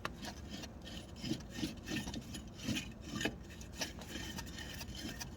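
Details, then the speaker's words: Jaguar AC compressor, recently replaced, clutch possibly original, pulley turned by hand after it apparently locked up and nearly threw the belt: uneven scraping rasps, drags roughly instead of spinning freely; defective part or clutch suspected. Rough-turning compressor clutch. "So this is our AC compressor, which is kind of interesting because it was replaced recently, so I don't know if it's a defective part or if the clutch is original and maybe the clutch is giving problems, but take a look at this. That shouldn't do that."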